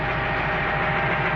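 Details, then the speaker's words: Diesel tractor at idle, cab engine: regular dull knocking at each firing; worn pistons, at least two with loose skirts slapping; knock fades when warm then returns after idling. "слушайте стук [аплодисменты] идёт вот идёт просту это вот поршневая уже Короче как минимум два поршня стучат там такая хрень ребята Они короче уже на юбке болтаются так вот такой стук"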